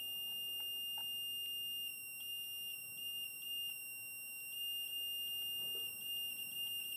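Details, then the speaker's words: Yamaha YL1 two-stroke, setting points ignition timing with a buzzer while turning the engine to zero. A thin, steady high buzz dips slightly in pitch right as the mark reaches zero, so the points open on the button: correct ignition timing. "oh right on the button I didn't see that see you right as I come up to zero yeah so we're on right now"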